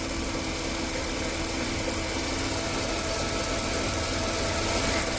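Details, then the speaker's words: 1990 Chrysler New Yorker, abandoned, now running after a fuel-rail leak fix and still smoking: the engine runs steadily, with a light, fast, slightly uneven tick when revved; owner suspects a sticky lifter and plans to add Marvel Mystery Oil. "so it is running pretty steady but uh when I rev it up you can kind of hear sounds like a sticky lifter or something"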